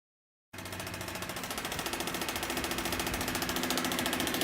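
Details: Outdoor heat pump unit running in heat mode with rapid, regular machine-gun banging over the fan hum as the fan blades strike a warped shroud.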